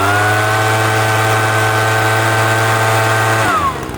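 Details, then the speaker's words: PROYAMA 3-in-1 leaf blower vacuum small two-stroke, warmed up after break-in: steady even high-pitched buzz at full throttle, drops cleanly on release; good RPM and throttle response, sounds healthy. "So, now that she's warm, she got good RPM."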